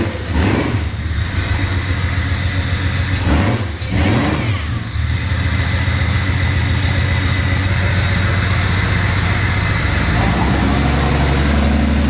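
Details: Jeep "Banana" 4.6 stroker engine just started after reseating a loose connector: idle lopes with a steady, repeating stumble that stays regular through light revving, a rhythmic miss; suspected bad coil pack or injector, unconfirmed.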